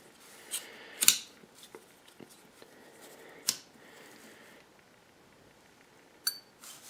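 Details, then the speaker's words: Bad compressor's overload protector on the bench, bimetal disc warped and dished: a few sharp isolated snaps seconds apart as the disc opens the contacts, the click heard after a compressor hums trying to start; thermal overload trip. "so when you hear the compressor try to start and hum and then click this is what you hear clicking"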